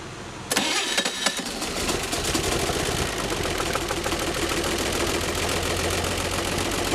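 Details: A junkyard 1957 Chevy 235 six with solid lifters, Offenhauser dual-single intake and a 1954 Corvette exhaust, run without oil, about 3,500 hours on six-year-old bearings, cranks briefly, catches at once and settles into a steady idle with light valvetrain patter; normal start.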